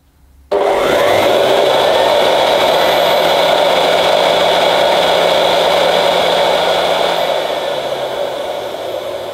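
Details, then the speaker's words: 1975 Hoover U4034 Ranger Senior vacuum, belt released so the motor runs alone: steady even whine without grinding; motor sounds fine, noise blamed on the agitator with likely very worn bearings. "so yes as I suspected I think the motor sounds fine to me so the whole problem is in this they'll be very worn bearings"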